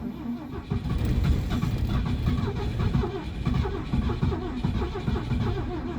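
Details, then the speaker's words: Classic Ford at -30 degrees, second try after a couple minutes' rest, throttle pumped then held full: slow labored cranking about five pulses per second, never catches; won't start, cause unconfirmed. "Come on, just fire. It's trying really hard. Yeah, I don't think she's gonna start."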